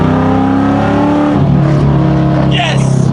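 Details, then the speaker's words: 1999–2004 New Edge Mustang after over-rev misfire fixed by reseating a popped-off rocker and fitting a new valve cover gasket: clean, even revs climb and fall smoothly with steady exhaust and no stumble; no miss, rough idle put down to a vacuum leak. "Oh, I'm so happy right now, guys. She's running good. There is no miss. That idle is just from a vacuum leak."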